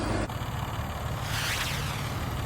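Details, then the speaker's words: 2005 BMW E46 330i ZHP six-cylinder idling with a loose, uneven rattle over the low engine hum from a broken DISA intake valve needing replacement; quiet again after the fix. "so just want to show you you can hear the dies valve is noisy that's going to have to be replaced"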